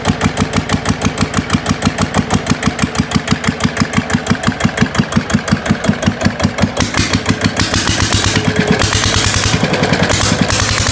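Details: GA70 diesel on a stand, water had got into the sump, oil changed: fires up easily, steady even thump about eight beats a second, no knock or miss, oil pressure up; normal running.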